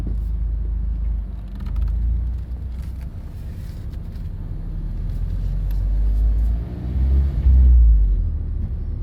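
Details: New 2020 Mazda Miata RF Club, manual, under 300 miles: low, uneven rumble under the engine drone that swells and fades in 1st gear at low RPM with clutch pressed; gearbox noise, cause unconfirmed.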